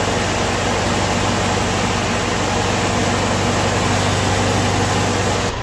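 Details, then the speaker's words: Ford-built M151A2 military jeep, 141.5 cubic inch engine, stored 20 years, after earlier rattle went away and rpm rose, left to run and break in; steady even smooth low rumble, no knocks or rattles; normal idle. "The RPM come up. And it sat there smoothed out, ran like a sewing machine."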